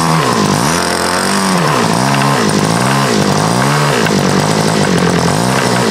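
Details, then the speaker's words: First run of MDS 148 engine with Xoar 17x7 prop, idle bar plug, Omega 5% fuel: screaming note rising and sagging about once a second, heavy vibration, fuel tank bubbling. Lean high-speed needle. "it ran but really kind of made some noise seem like I had a lot of vibration"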